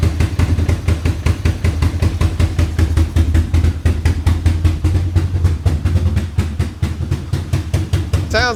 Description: It sounds like we might need to adjust the air fuel mixture screw.